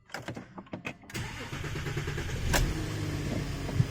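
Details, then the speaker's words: 2008 VW Touareg turbo diesel, first start after fitting new Bosch OEM high-pressure pump, new timing belt, fuel system bled: starter cranks about a second, engine catches at once into a steady, even idle with no misses. Normal start. "Okay. As you can see, it's actually running the car."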